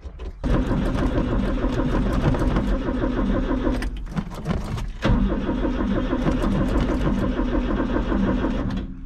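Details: Old mini U-Haul box truck (Ford Courier) after sitting 35 years, with the fuel pump wire disconnected: steady starter churning at about three beats a second for several seconds that never catches; it cranks but won't fire.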